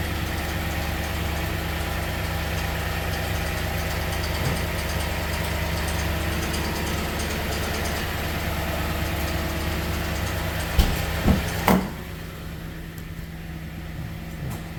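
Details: 2015 Toyota Sequoia V8 at warm-up idle in the mornings, starting 3 to 5 minutes after warming up: light, rapid clicking over steady low hum; stops when driven, dealer could not reproduce; owner wonders about timing belt tensioner, unconfirmed.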